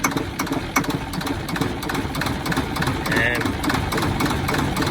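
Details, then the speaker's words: Junkyard garbage truck diesel with weak batteries (under 10 volts), jump-assisted from a pickup: it catches and chugs with uneven knocking beats for a few seconds, struggles to settle into idle and stalls. It fires but won't keep running. "the trash pan dish it's apparently not gonna run for me today [Music] it tries so hard and sometimes it'll catch itself up to an idol an"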